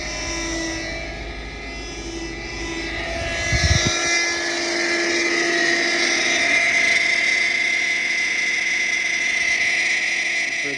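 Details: 2006 Subaru Forester XT turbo: loud steady high-pitched power steering pump whine over the running engine, pump drawing in air; likely cause is a failed O-ring on the reservoir return line (part 34439FG000), worth replacing before the pump.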